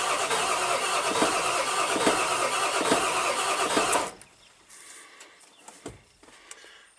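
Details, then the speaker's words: Old Ford truck ("Big Red"), diesel, after battery charging: about four seconds of uneven cranking, engine turns but never fires; wait-to-start light off, owner suspects no power to the PCM, not confirmed. "almost half sounds like it wants to start I doubt it will because I think if the weight to start light doesn't come on unless that bulb's burnt out I think that means I've got no power to the PCM"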